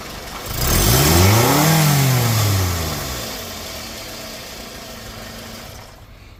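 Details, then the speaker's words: Scion xB 2nd gen after repair of loud engine-bay hissing, pulsating rpm and power loss: engine starts and revs cleanly, pitch rising and falling smoothly, settling to steady even idle with no hiss or hesitation; slow throttle response gone. "right guys so that was the problem um I'm not getting that slow uh throttle response anymore"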